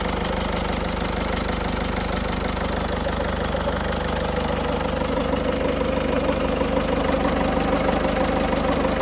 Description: I've just started my 2006 Peugeot 307 1.6 HDI after installing a new battery and I hear this hissing noise. It seems it's coming from the injectors.